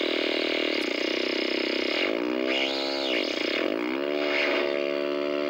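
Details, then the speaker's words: 1964 Sony 9-304U portable solid-state TV with raster but no video: a dense buzz with whistles gliding up and down as the vertical and horizontal hold controls turn, motorboating and squeal. "boy we got a noise machine here with the vertical and horizontal hold controls"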